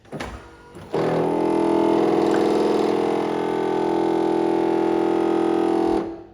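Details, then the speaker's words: 1999 C5 Corvette pop-up headlight motor before repair: rise is fine, but lowering gives a steady whirring hum with a rough, gritty machine-gun-like edge for about five seconds as the gear keeps rolling; worn plastic/nylon drive gear. "The headlights go up fine, but when they go down, they make a noise. Pop up and down headlights. Sounds like machine gun spray. It's not machine gun spray. It is a worn out plastic or nylon gear motor in the headlight motor."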